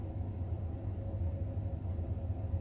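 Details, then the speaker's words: Baxi Combi 133 HE Plus combi boiler after replacing the faulty PCB (board fault code): fan and burner fire up with steady low rumble and even fan hum, no red light; normal burner operation, fault fixed. "so it's running as normal and it was the pcb"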